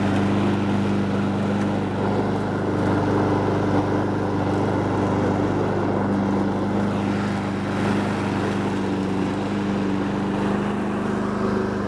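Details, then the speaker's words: Honda Harmony 215 mower engine, warm, after a third carb cleaning; idle mixture screw tip broke off so there is no low-end adjustment. Steady, even drone at one speed without surging or misfiring: running smoothly. "so if I win it, well, it'll go in stock for now. But that don't sound bad, does it?"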